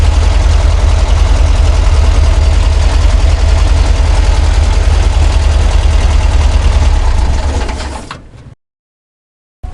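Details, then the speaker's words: VW Kombi engine after mechanic's repair of a knocking noise heard at first start: even, steady low idle with no knock or tap, then a clean shutdown; noise gone, normal idle. "o barulho da Kombi mudou totalmente"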